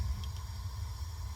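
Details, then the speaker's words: Gas water heater with a 75-gallon tank, after replacing a leaking connection hose, pilot left on: a soft low whoosh settling into an even rumble as the main burner flame ignites; normal ignition. "that was the sound of the flame igniting"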